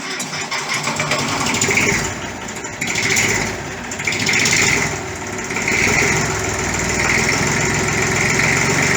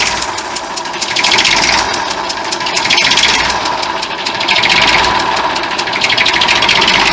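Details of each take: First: 1959 Fordson Dexta diesel tractor, 62 years old, after an oil service: steady diesel clatter at a settled idle with only gentle swells in level, oil pressure okay, no leaks; a healthy idle. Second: 1959 Fordson Dexta diesel tractor at idle with sharp rapid puffing ticks in time with the engine, from an exhaust manifold leak at the injector area; the water pump can also be heard running at the front.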